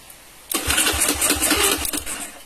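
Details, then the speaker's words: Bored-up carbureted Honda Beat 130 cc scooter, after swapping original CDI (which couldn't crank) for replacement CDI: short crank, catches at once and runs at even pulse; easy, clean electric start. "Oke, jadi setelah saya ganti CDI-nya, kita coba lagi starter."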